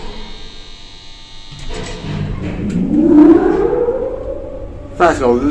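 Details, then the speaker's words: Classic 1960s Marryat & Scott service lift in a rundown shopping centre; riding in the car: motor winds up with a smooth rising hum, settles, swells again at the end; really good, healthy lift motor sound. "really good motor sound and let's take a ride in another one of the mar Scots here"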